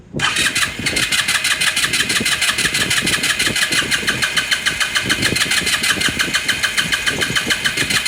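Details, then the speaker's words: 2018 Lance Cali Classic 125cc scooter cranking; spark plug confirmed sparking; fast, uneven starter churning about three pulses a second, never fires. Owner says it is not getting fuel. "battery back on back on back on you see this thing did not getting gas"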